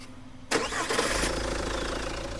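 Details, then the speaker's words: Jeep Compass diesel after flywheel modification: crisp crank and catch, then a settled idle with no clunk at start-up; normal start, the earlier flywheel noise gone. "बंद करो करो start भाई कोई आवाज नहीं गाड़ी के अंदर बात समझ रहे हो ना"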